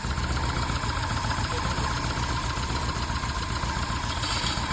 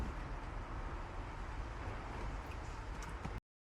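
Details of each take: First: VW Golf 1 petrol engine at idle after timing belt replaced and retimed, now idling smoothly: faint scraping metal-on-metal or rubber-on-metal rub that comes and goes randomly; owner suspects alternator fan, cause unconfirmed. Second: VW Golf 1 four-cylinder at cold idle after a full timing belt replacement and re-timing (timing found badly out): quiet, steady even hum, no misfire stumble, running on all four cylinders; small exhaust puffs the owner attributes to an exhaust manifold leak. Normal idle.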